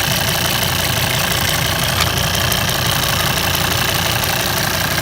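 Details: Volvo 136 kW engine at idle with light, fast ticking about three per second; owner unsure whether it is normal, cause undetermined.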